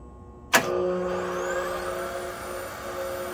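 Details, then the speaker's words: 1988 English metric Monarch 10EE lathe on its first test run of the factory solid-state regenerative DC drive, belts off, in back gear, red lights showing. Clack at switch-on, then hum with a thin whine; spindle turns slowly. Abnormal noise. "and it seems to be spinning slow to me but well you know i'm hearing some weird noises and i've got some lights on there that red lights doesn't seem good"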